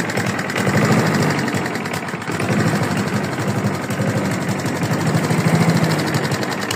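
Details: Free used lawn mower's small engine running with a rough, uneven rapping under the exhaust note; engine knock, owner asks whether it is rod knock, unconfirmed.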